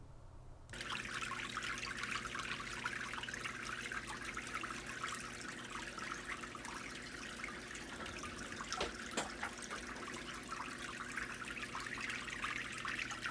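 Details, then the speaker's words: DIY water filter, progress report after modifications: steady splashing trickle with a faint low hum beneath as water falls noisily from the outlet; looks good but is considered a little loud. "And he likes the look of it, but he thinks it's a little loud."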